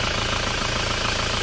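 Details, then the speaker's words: Isuzu Panther diesel just started and still cold, idling with the PCV valve in the valve cover clogged; loud constant hiss of crankcase blow-by pressure escaping at the dipstick while it is in place, hiss stops when the dipstick is pulled; PCV valve stuck closed. "kalau kita pasang ini mendesis. Kalau kita cabut suaranya akan hilang, tekanan udaranya tinggi melalui sini."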